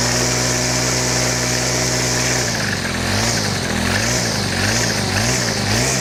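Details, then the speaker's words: Stihl FS100 4Mix brushcutter: steady idle, then revs rise and fall with a dry, raspy whir from the drive gear head, which needs greasing; dry gear noise when revving. "Right, this sounds quite dry as I'm revving it, so I'm going to give it a bit of grease."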